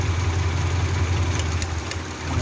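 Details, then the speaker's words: Honda Civic Genio with a dead spark plug: low, uneven idle limping like one cylinder is out; pulling this plug wire makes no difference, so that cylinder is not firing; cylinder three is suspected. "Hai jadi kayak mesin itu kayak ada yang pincang gitu"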